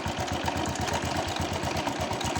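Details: Honda Wave 110i brought in for hard starting, after new spark plug, restarted without throttle: quick even putter about eight beats a second, no stumbles; healthy idle. Unsheathed plug cap suspected of shorting, to be replaced.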